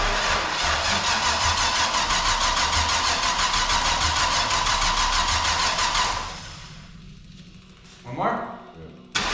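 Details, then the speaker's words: 454 big-block V8 in the Jap-Rod fired for the first time on temporary fuel and ignition systems: loud, open rumble with a fast steady beat for six seconds, then a clean shut-off; runs healthy. "so let's fire it up huh you ready need a crank up or damn that was loud I wasn't ready for"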